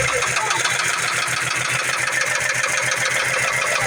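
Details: 2004 Ford Mustang base V6 at idle. Fast, fairly even knocking, roughly three or four per second, over the idle; rod knock suspected but not confirmed.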